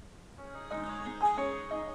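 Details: Samsung LE40B652 LCD TV (T-con 2009FA7M4C4LV0.9), normally failing to complete boot, tested with the T-con board unplugged: short rising bell-like startup melody plays fully, set boots and outputs sound, so the fault is most likely on the T-con board.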